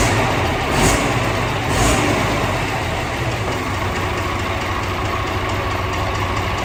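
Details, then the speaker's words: DAF CF85 truck diesel engine with overheating and top-end knocking; rough puffing hiss over low rumble pulsing with firing, heavy soot around; suspected exhaust manifold gasket blow, not confirmed. "it blows it sounds like manifold gaskets or something like that there's a lot of soot around as well"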